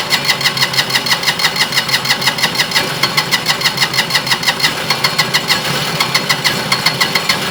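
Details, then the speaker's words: Single-cylinder diesel on a Winget mixer, stood a couple of years without starting, now running after repair: even, steady thumping about three beats a second, no misses or knocks, fairly quiet; normal running. "Tell you what, on a single cylinder like that, this is actually really quiet. Usually they put in Europe in, but that's bearable."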